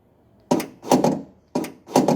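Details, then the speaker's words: Mahindra XUV500 tailgate opening switch repaired at home, tested with temporary wiring: two crisp double clunks about a second apart, each press firing cleanly; tailgate lock actuator unlocking as it should. "अभी देखिए, मैं बटन दबाऊँगा तो आपको विंडो की चलने, अनलॉक होने की आवाज़ आएगी।"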